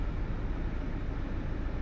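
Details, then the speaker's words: Toyota Fortuner diesel with code P0093, stalling while driving and no acceleration: at idle the engine shakes with an uneven, lumpy rumble, a misfire the mechanic blames on faulty injector number 3; injectors then removed for testing. "ตอนนี้เครื่องสั่นขนาดเลยนี่เนาะเครื่องสั่นแต่ลอปกติแต่ว่าเครื่องสั่นเนาเพราะว่ามีหัวที่3นี่ชื่อว่าน่ากลัวหมู่เนาะเฮ็ดให้เครื่องสั"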